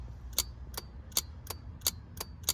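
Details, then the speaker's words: 1991 Mercedes W126 350SDL cruise control actuator tested on the bench while diagnosing non-working cruise control; power applied to the pin makes the clutch solenoid click, crisp clicks about 2.5 per second, engaging properly. "The solenoid in there clicks."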